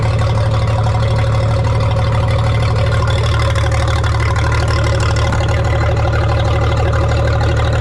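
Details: 1962 Minneapolis Moline G704 tractor that had not run for years, fed propane from a small tank: loud low idle with a slightly uneven beat, about three pulses a second. Owner suspects it is missing on one cylinder, possibly spark plugs.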